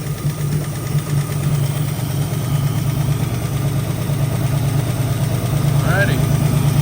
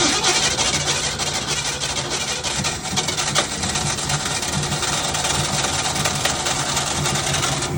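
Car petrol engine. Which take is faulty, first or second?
second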